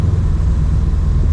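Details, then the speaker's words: Subaru WRX STI with 12 psi boost tune, first drive after winter storage on old fuel, warming up before boost, light driving in rain: deep, even exhaust rumble over steady rain hiss, no misses or knocks; healthy. "oh it sounds so good this is another reason i didn't want to drive the rain is because you hear a lot of rain noise obviously"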